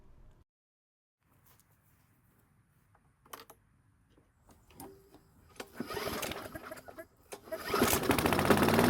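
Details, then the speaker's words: Free, previously non-starting Bolens walk-behind mower, first run after cleanup: engine catches after a few pulls and climbs to a loud, fast racing over-rev because the throttle lever was locked in place to rev higher than normal. "well that was kind of dangerous after getting it started the engine over revved now on this engine it does have a throttle lever and it looks like someone locked it in place to rev higher than normal"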